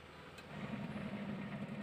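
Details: Polytron twin-tub washing machine that sounded harsh while washing, after gearbox replacement: steady low hum rising smoothly with no grinding; drive runs quietly and normally, though the pulsator retaining ring was then found missing.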